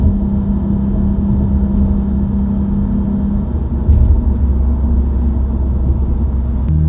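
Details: New-generation Subaru WRX, recorded inside the cabin while driving: steady low humming drone under road rumble, rising with road speed and continuing with clutch in, not rev- or gear-dependent. Dealer-diagnosed broken centre-diff viscous coupler, recorded before repair.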